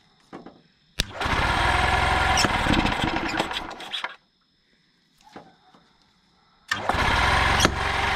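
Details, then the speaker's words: 1992 EZ-GO golf cart, two-cylinder Robin engine, after sitting 16 years: engine roars briefly, dies to near silence, then catches again; suspected lost ignition from a temporarily wrapped wire connection. Intermittent engine cut-out. "how good it runs I think I'm losing ignition CU I only have it wrapped around here"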